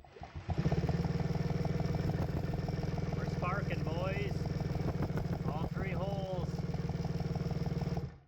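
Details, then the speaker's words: Custom-EFI 650cc two-stroke triple turbo project turned over with a drill: steady cranking drone with crisp even ticks about four per second as the injectors fire; normal cranking, owner says it is close to starting. "and I can hear the injector's running she's uh she's a little bit of feel away from uh popping right off"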